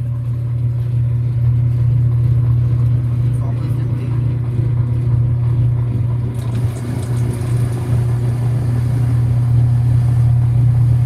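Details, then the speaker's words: Whirlpool WTW5300SQ0 top-load washer after a new timer was fitted, draining after pre-wash: steady low hum and even motor drone, no grinding or banging, a normal drain and spin. "and it is draining right now you can see the water getting emptied [Music] out"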